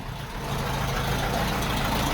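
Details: VW Type 4 air-cooled engine, reinstalled and started in neutral after an oil top-up: oil and generator lights went out and there are no oil filter leaks. Smooth, even idle with no knocks or misfires.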